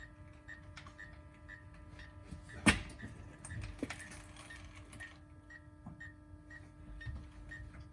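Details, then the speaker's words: 2003 Toyota 4Runner V8 with a new Aisin SAT-003 4WD actuator: steady low motor hum and beeping about twice a second as the actuator binds and won't leave center diff lock. "No, it doesn't want to disengage. Let me loosen that screw again. Remember, anytime you hear that beeping, that means it's bound up and it can't move anymore."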